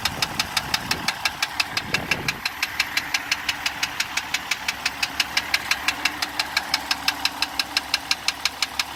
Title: 2015 Jeep Grand Cherokee Diesel Engine Knocking